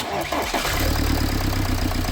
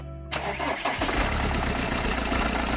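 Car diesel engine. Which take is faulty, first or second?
second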